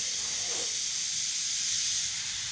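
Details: 1969 Chevrolet Nova heater core under about 20 psi pressure test: steady high-pitched hiss of escaping air, changing on the back side; heater core leak.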